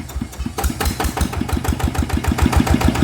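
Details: 160cc single-cylinder motorcycle, stock, brought in with oil consumption and oil getting onto the piston: steady idle thumping about three and a half times a second, no knocking or grinding; bearings and gears sound fine, leaking valves found as cause.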